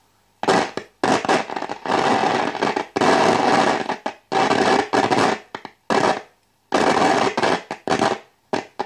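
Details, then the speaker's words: Wald model 310 five-valve AM/SW tube radio under repair, volume at maximum: loud scratchy crackle and hiss cutting in and out as the variable tuning capacitor is turned; suspected dirty or faulty capacitor section, unconfirmed; crackling when tuning. "er estoy tocando el condensador variable este ese chisporroteo que se oye no es nada bueno quiere decir o que o está sucio o hay alguna parte del condensador que no está funcionando bien"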